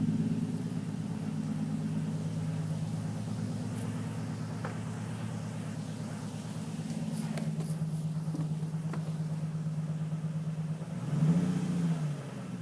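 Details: Nissan 350Z petrol engine running with an uneven, stumbling pulse and a brief rev near the end; misfire with slight knock, cause unconfirmed.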